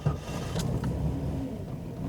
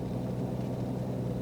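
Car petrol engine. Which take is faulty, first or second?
first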